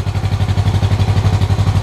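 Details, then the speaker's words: 1968 Honda CL450 race bike with Mikuni carburetors, just started (hard starting from cold), before sync with homemade glycerin-filled vacuum gauges: lumpy pulsing idle with uneven throbs between cylinders, carbs clearly out of sync. "as you can see carburetors are definitely not synced up so i'm going to shut the camera off and fiddle with them a little bit"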